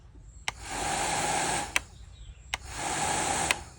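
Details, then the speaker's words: Scrapyard hair dryer, dead on arrival, after repairing a melted, broken internal wire by soldering, tested before closing the cover: two even bursts of airy fan rush with steady motor whine, switching cleanly; now working normally. "Okay நல்லாவே வந்து work ஆகுது."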